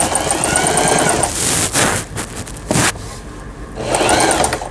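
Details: Thailand-made Elna 120 sewing machine after repair of the bent cam follower releasing arm that stopped pattern dial and forward/reverse: fast, even needle chatter in steady bursts with brief pauses, no grinding or binding; machine sews normally.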